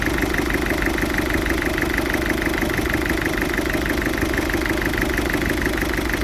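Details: Ford Fiesta 1.6 TDCi diesel at idle with a steady chugging pulse about three per second and uneven lumpy beat; smokes acrid when revved; rough idle, cause undiagnosed.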